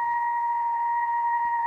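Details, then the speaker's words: ICOM IC-751A transceiver after PLL trimmer replacement and readjustment: a generator signal near 23 MHz gives a pure, steady tone near 950 Hz with no warble, drift or hiss. The PLL is locked and clean, where before there was only ratty noise. "we're up at one of the higher frequencies here almost 23 megahertz and a nice tone"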